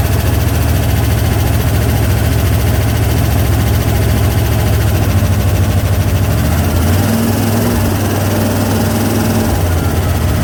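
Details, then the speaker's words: 1968 Corvette, slightly modified V8, after stripped distributor drive gear knocked ignition out of time, running again after repair: steady, deep, even idle with no knocks or misses; running decent, timing still to be checked, fuel leak pending. "I even put white paint dot on it, but it's running pretty decent."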